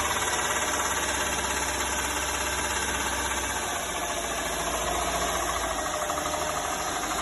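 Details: Engine knock appearing at 1500–2000 rpm: rapid, uneven light knock over a busy mid-revs note; valves adjusted and timing gear fine, owner suspects cam lobe 6 of the front camshaft, which is worn in places.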